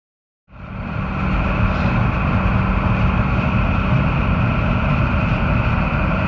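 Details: 1989 Ford F-350 7.3 IDI diesel, previously no-start with fuel leaking at injector base, after replacing injector O-rings and new hoses: engine catches and settles into steady even diesel clatter with low rumble, no misses; running normally.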